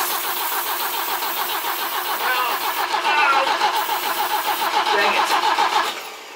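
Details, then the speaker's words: BMW E21 cranking after plug leads on the distributor were swapped to the opposite order to cure intake backfiring: steady fast cranking, about 3.5 turns a second, popping through the exhaust; never catches, ignition timing still wrong. "so we've actually got the fire going out of the exhaust instead of the intake I would say this is a plus"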